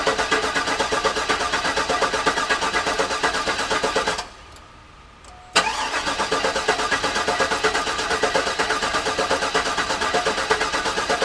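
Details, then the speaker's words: Garage-rebuilt GM LS engine in the car, first start attempt with the fuel pump not working: steady starter cranking, a pause, then more cranking that never catches. No oil pressure builds, and the owner suspects the oil pump needs priming. "so i'm not getting any oil pressure in there so i'm thinking i may need to prime it which is unfortunate because that is a lot harder to do with the engine in the car"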